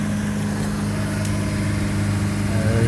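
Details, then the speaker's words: 2000 Honda Civic, test run after bolting in a new one-piece resonator (B) pipe replacing the rusted, broken one. Nice and quiet: even, steady low idle hum, no rasp, puffing or rattle underneath. Normal idle after repair. "all right bolted everything on now it's time for the test nice and quiet"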